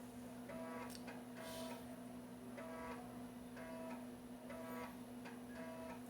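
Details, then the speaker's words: Floppy drive reading disks while ARJ decompresses multi-disk DOS archives: buzzy stepping bursts about once a second as the head shuttles back and forth over a steady hum; characteristic normal read noise, not an error. "Quando o disco dá uma esse barulhinho dá impressão, até que vai dar erro de leitura, mas é um erro, é um som característico do leitor de sketch."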